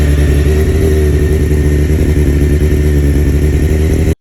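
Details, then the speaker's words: 1993 Honda CBR900RR carburetted four-cylinder, rebuilt from scratch, idling with random misfires and idle speed hunting up and down; uneven lumpy beat with stumbles, traced to failed spark plug caps with excessive resistance (stock 5 kΩ). "one of the most nagging issues that I had with this motorcycle was that it would always have a just a random misfire all the time and it wouldn't idle correctly the idle would just go up and down all the time"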